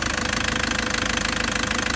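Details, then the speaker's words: 2013 Toyota Prado (MY14) 1KD-FTV Denso diesel, 131,000 km, idling rough with a hard, rapid clatter and uneven lumpy beat; scan tool shows injector number four jumping around, premature injector failure needing new injectors. "has got a bit of a roughness to it let's go and have a look at the kilometers and the diagnostic tool it's going to store itself i like kilometers 131 000 k's only oh i hear that rattle"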